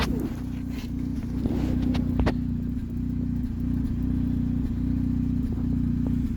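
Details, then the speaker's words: 2007 Saturn Ion at low idle, regular stumble roughly every two-thirds of a second; cylinder balance test shows a consistent cylinder four misfire, not random. Owner suspects the recently hard-to-remove number four spark plug damaged threads, leaking compression. "it isn't random it is cylinder four now"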